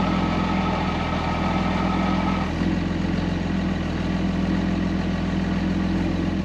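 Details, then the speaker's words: 2005 Ram 5.9 Cummins diesel with FASS lift pump, with the water separator and filter pre-filled: long, steady, low churning crank with no catch or speed rise, then it stops. The filter was later found low, so the pump is suspected of not pumping or not keeping up. "so that tells me that this pump is either not pumping fuel or it's not able to keep up with the draw of the engine"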